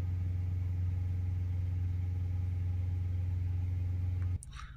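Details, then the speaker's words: Ford Ranger 2.0 BiTurbo diesel after DPF cleaning for codes P2463 and P246C: low even idle rumble, no knocks or misses, then shutoff; healthy idle. "now we're on 10 at idle it'll it'll keep coming down slowly"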